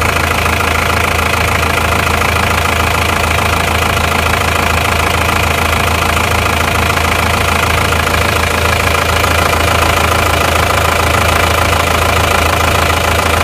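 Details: Isuzu Panther diesel just after an engine overhaul, compared between turbo and non-turbo and between non-Euro and Euro 2 units, cold with thin smoke: steady, even diesel idle clatter with a smooth low rumble and no stray knocks. Normal diesel idle.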